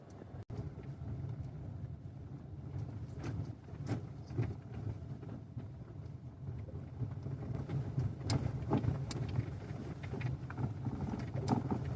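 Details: Lada XRay Cross while driving: sharp, irregular steering rack knocks over road rumble and wind, a new noise that appeared after the dealer worked on the electric power steering mounting.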